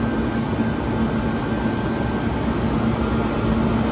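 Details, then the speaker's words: 1978 Comfort-Aire Quietmaster 29,000 BTU air conditioner on high, not yet cleaned: steady even fan rush with faint constant hum, condenser fan running smooth, no rattles, blowing ice cold; normal running on high fan speed. "It blows absolute ice cold. The condenser fan is running nice and smooth."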